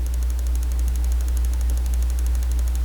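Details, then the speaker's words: Dell G5 5000 gaming desktop (same internals as XPS 8940), switched off but plugged into the wall: power supply makes faint, rapid, even ticking over a low hum, audible only with ear close; owner unsure whether the unit is defective. "if you turn off the dell g5 and keep it plugged in into the into the wall outlet you can actually hear the power supply clicking it's making this weird clicking noise"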